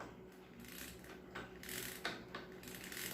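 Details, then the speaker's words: Makita marble saw, no disc fitted, with a stiff spindle: light dry ratchet clicks in short bursts like a bicycle freewheel as the spindle is turned backwards by hand, which is normal. "ainda falei mais vó se você virar contrário ao contrário ela faz um barulho de catraca de bicicleta ó"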